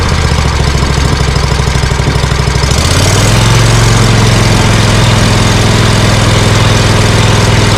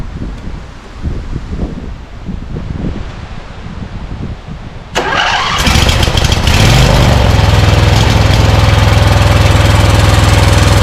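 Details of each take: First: Scag Cheetah mower with Briggs & Stratton Intek V-twin, one-cylinder misfire fixed with a cheap Amazon carburetor replacing 791230: loping low idle, then throttled up into a steady, even drone with no misses; running fine. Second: Scag Cheetah mower with Briggs & Stratton Intek V-twin (from a Craftsman): cranks, catches and runs loud and rough with a lumpy beat, misfiring on one cylinder; left carburetor side likely sucking dirt past the air filter, carb replacement planned.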